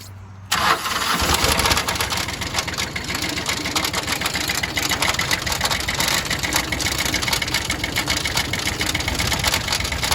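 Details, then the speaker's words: Kubota L3000DT 4WD loader tractor, original diesel with wet, overfull oil: harsh ragged clatter with uneven beat; severe internal damage, two bent pushrods on cylinder 2 and damaged exhaust port found. "It's a pretty decent little tractor, but I'll go ahead and give you a little sample of what's wrong with it. I cringe pretty much every time I hear this thing run."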